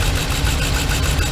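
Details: 2015 Ram 3500 with 5.7 Hemi idling with a deep, slightly uneven rumble: cylinder 5 misfire, one injector getting no power because rodents chewed its connector apart. Wiring being traced with a test light.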